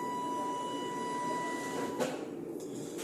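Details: 2021 Bailey Pegasus Grande Messina caravan motor mover: light, even electric whine at steady pitch for two seconds, then a stop and a couple of clicks; mover drives smoothly.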